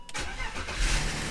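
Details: BMW E39 with about 150,000 miles that had been sitting a while: a brief burst of starter cranking and engine churn that never catches into an idle. Crank, no start; the cause is suspected, not confirmed.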